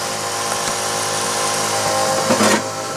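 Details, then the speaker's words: Twin fuel pumps on a twin-turbo 5.2 Magnum build running after fuel pressure was adjusted from about 20 psi to 58 psi at the regulator set screw: constant high electric whine, no surging or rattle; normal fuel pump operation. "here are twin pumps running like crazy"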